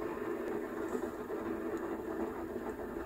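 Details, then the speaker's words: Xiaomi M365 electric scooter rear wheel spinning: rough, gritty rumble from worn rear wheel bearing (6001-2RS), before replacement. "i'm going to change this rear wheel bearing because it sounds like"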